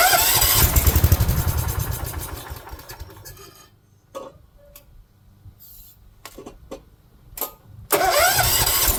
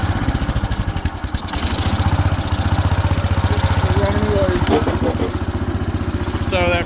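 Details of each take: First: 1970s AMF 1414 barn-find garden tractor, first run after a no-spark fix and fresh oil: fires and revs briefly, then sags and dies within seconds before catching again. It sounds fuel-starved; owner suspects the fuel filter style doesn't suit its fuel pump. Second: 1970s AMF 1414 barn-find garden tractor with the fuel filter removed, choke off: regular, even single-cylinder thump, firing steadily with no skips. The earlier fuel starvation is blamed on that filter; earlier cut-outs came from the seat safety switch.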